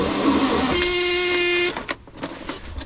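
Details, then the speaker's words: 1981 VW Rabbit abandoned over 20 years, parts missing, starter wire reconnected. Starter whirs with a strained, slow churning for about a second; the engine turns over tight, not healthy. Owner plans to pull plugs and lube the cylinders. "hey guess what it turns over doesn't sound real healthy"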